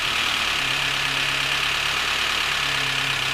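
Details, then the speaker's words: Volvo S40 with Ford 1.6 petrol engine, hot, idles with fast hissy top-end clatter; compression 13 bar, diagnostics showed nothing; pan removal found clean oil pickup but spun crankshaft/conrod bearings, no oil pressure to top end. "провернуло вкладыши ни было давления по верху по esprit валом естественно стук"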